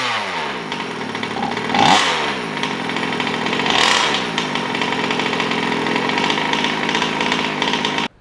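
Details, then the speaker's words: Taylor RC 35cc two-stroke in a DBXL 2.0 with Bartolone Racing exhaust, restarted on two pulls after cooling during its first heat cycles, half throttle only. It fires, blips twice with a crisp rising buzz, then runs steady and even; healthy. "but yeah let's start it up again okay it should start again no problems on one pull oh sorry two pulls ah"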